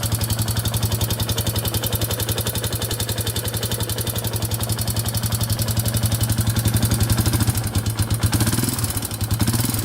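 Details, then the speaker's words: 2001 Yamaha Warrior 350 single after a short ride: fast, heavy metallic knocking at about three per second following revs; owner suspects the timing chain; loose valve clearance found. "all right so just took it for that little ride as you can hear it's knocking pretty bad um it does sound like it might be the timing chain i'm not 100 sure but uh we'll tear into it right now and try to figure that out"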